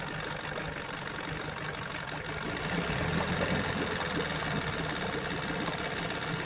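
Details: Johnson 9.9 outboard after carb kit rebuild and new spark plugs: soft, steady idle with even low putter, no knocks or misses, smooth and healthy; normal idle.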